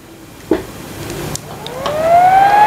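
A loud whine climbs steadily in pitch as the fan spins up over a faint hiss; a noisy inverter cooling fan.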